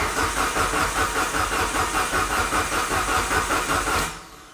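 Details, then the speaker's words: Fully built Mitsubishi Evo 9 engine, oil light still on before first start: steady starter cranking at about two and a half beats per second for four seconds with no firing, turned over to get oil to the head; oil pump confirmed working. "But we're going to turn it over some more and see what happens here, because obviously the oil pump works."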